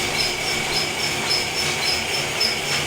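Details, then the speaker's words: Felting machine after being tweaked and fixed: quick steady rubbing chatter of about 2 beats/s with a faint squeak. It is running normally and no longer bouncing as before. "mike's going to turn it on very noisy it's not bouncing all over like last time this is a good sign"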